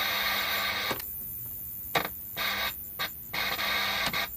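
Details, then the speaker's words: Trackton DCP-061 5-inch colour CRT TV (likely Daewoo-made) at power-on: thin high whine with harsh buzzing cutting in and out about once a second, flashing light and screen flicker; fault not yet traced. "so we got a flashing light there o that's making a weird sound little bit of a flicker on the"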